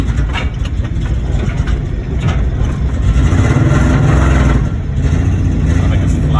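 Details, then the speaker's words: Car that would not run, just started after being towed: a loud, lumpy, stumbling idle missing badly; owners suspect flooding or the airflow meter falling off, cause unconfirmed. "sounds like it's missing real bad yeah"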